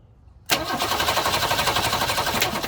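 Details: 1966 Ford Mustang 200 straight six that stalled and died, battery recharged, spark and fuel delivery confirmed: starter spins engine fast and evenly for a couple of seconds without catching; cranks but won't start, cause not yet found, fuel filter suspected.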